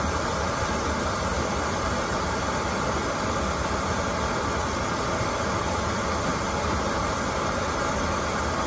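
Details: Oil-fired boiler that would not light because clogged filters restricted the oil, after all filters were replaced: a steady, even roar of flame and fan with no pulsing or sputtering, indicating clean, normal burner operation.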